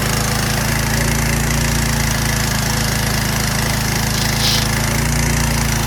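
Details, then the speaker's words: Curbside pressure washer, small single-cylinder, water and gun connected: steady, even buzz with no surging or stumbling, running smoothly and staying lit; works. "I'm gonna start it up for you now. Works."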